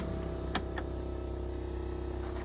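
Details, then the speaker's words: 1968 Ford Galaxie 500 convertible, cold start after three to four days sitting: steady low buzz over smooth idle from added electric vacuum pump for brake booster, needed because camshaft gives only about 14 inches vacuum versus 18 required; normal. "buzzing you here is the electric pump electric vacuum pump for the brake booster the camshaft does not allow the engine to generate enough vacuum"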